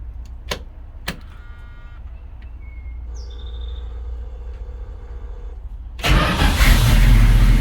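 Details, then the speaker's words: 1976 Dodge Ramcharger after replacing a bad starter relay; a couple of sharp clicks, a brief crank, then the engine catches near six seconds and runs steadily; normal cranking and start. "there she goes that was the problem should uh crank a lot better now with the new starter relay"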